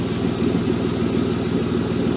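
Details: BMW E36 drift car at idle on the lift: fast, even puffing ticks in time with idle, the chuff of an exhaust leak, suspected at the front exhaust flange, not confirmed.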